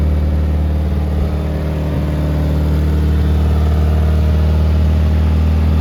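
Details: 1972 Toyota Celica, swapped used 18RC engine, Weber 32/36, first start in 20 years, exhaust not properly fitted: loud low idle rumble with a raw puffing edge about four times a second, smoky; exhaust leak.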